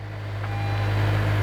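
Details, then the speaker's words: Florida saltwater flood car, underside wiring showing no corrosion, just after starting right up: smooth, steady low hum settling into an even idle with no knocks, ticks or misses; traction control light on, no check engine light; normal idle. "sounds very healthy it does have a traction control light on"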